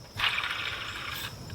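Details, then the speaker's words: 2016 Ford F-150 XLT during belt change, idler pulley spun by hand with the belt off: short dry gritty whir dying away over a second; rough, worn idler bearing, advised for replacement. "This one feels good there, so I think I want to tell him, my advice is to go ahead and replace this one here, because I don't like, you can hear it."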